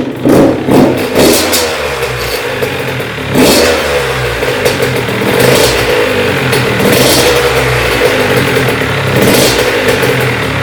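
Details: Honda CR80 two-stroke after cylinder head, studs and gasket repair, restarted after cooldown with coolant level holding: crisp revving rising and falling cleanly on throttle, no knock or rattle; healthy.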